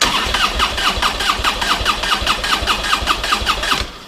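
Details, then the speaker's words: Normal starter cranking of a motorcycle with the spark plug wires disconnected to measure cranking voltage, which reads over 10 volts. Brisk, even cranking at roughly three and a half pulses a second with no dragging or slowing; starter and battery are healthy. "I've disconnected the spark plug wires on this because we want to see what the cranking voltage is. So, that being the case, let's go ahead and crank the engine and see what it does."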